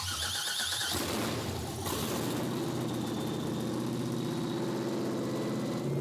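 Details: Project X '57 Chevy hot rod, carbureted supercharged LSX/6-71 blown small block, first fire-up after the build: loud blown V8 barks through a rev, then settles into a deep, lumpy but steady idle, healthy and strong.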